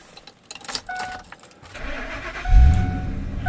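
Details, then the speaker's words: High-mileage engine with 250,000 miles, after a massive intake vacuum leak blamed for hard starting was fixed and reassembled: keys, a quick crank, then it fires promptly and settles into a smooth, even idle with no misses or knocks. "A little bit better. Right. So, this thing's got 250,000 miles on it, too. All right. Sounds good. I'm happy with that."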